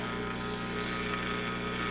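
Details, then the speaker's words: Recapped G.E. Model 56 tube radio slowly powered up on the bench at about 140–210 mA: a constant low hum behind faint hiss; suspected heater-to-cathode leak, not confirmed. "we got a little bit of a hum i had hmm got all new caps in here i wonder if we have a heater to cathode leak"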